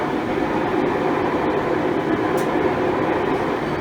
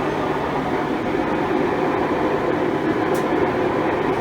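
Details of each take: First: Five-year-old Maytag Bravos XL washer after replacing the drive shaft bearings: a smooth, steady rushing spin with no grinding, rumble or knocking. A normal spin cycle. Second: 5-year-old Maytag Bravos XL washer on spin cycle: loud, steady train-like roar; tub grinds when moved by hand; owner diagnosed worn drive shaft tub bearings and replaced them.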